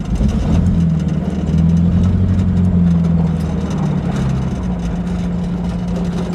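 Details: 1950 Buick Straight Eight in a chopped lead-sled rat rod, idling low and uneven with a lumpy, wavering beat; rough running, cause not confirmed. Timing was later bumped back, and the owner suspects plugs and wires possibly about five years old.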